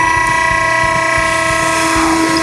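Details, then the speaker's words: Delta Scientific vehicle-barrier hydraulic system running: a steady pump whine with hissing from the pressure relief valve, which is set too low and bypassing. Fix: loosen the jam nut and tighten the pressure bolt to about 150 psi above the pressure-switch cutout. "you can hear this hissing. So we loosen up the jam nut and we tighten up the pressure bolt."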